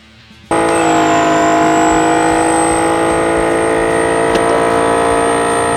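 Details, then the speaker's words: Bulldog air compressor that the owner feared was about to blow up and was unsure should make this noise: it kicks on into a loud, steady buzzing drone with a thin high whine on top. Bulldog later tested it and said nothing was wrong with it. "I'm not so sure it's supposed to be making that noise."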